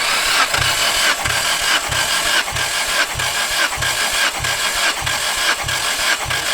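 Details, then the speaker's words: Nissan S14 engine with misfire, compression test while cranking: starter turns at an even pace, about one and a half strong, equal puffs a second; cylinder one reads 145 psi, others about 138–151 psi; compression healthy. "that's the first number 145 psi which isn't actually bad it's not just about where it should be really shouldn't it between sort of 140 160"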